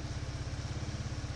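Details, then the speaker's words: Chinese GY6 150cc scooter abandoned outside for years, running on fresh gas: even, steady putter of about eight beats a second, low and round with no knocks or misses; healthy idle. "It's turning a bit faster... and it started! Honestly I'm a bit surprised. This is awesome! She's a runner folks, look at that!"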